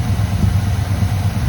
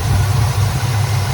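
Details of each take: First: 1985 GM square-body truck that sat at least 10 years, first start after hooking up the fuel supply. Cold engine on a working choke: deep, even low rumble with a steady beat and no lifter knock or misses. Healthy cold idle; mixture to be adjusted once warm. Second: 1985 GM square body truck, sat 10+ years, choke propped open, idle mixture being tuned by vacuum gauge: low idle with slight rhythmic sag and hunt, sounds a little lean, backfires a bit on throttle; uneven idle.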